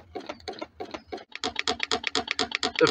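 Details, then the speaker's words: DIY Mk4 Stirling engine generator fired by a rocket stove, running: a fast, bouncy knock about eight times a second from the natural rubber seal bouncing and hitting the swing arm. Packing it out stops the knocking. "thing it's noticeable is the noise of the uh silicon seal U the natural Rubble one almost sounds like a ball bouncing also we've got a bit of a uh I think it's hitting the swing arm as well which doesn't help the situation"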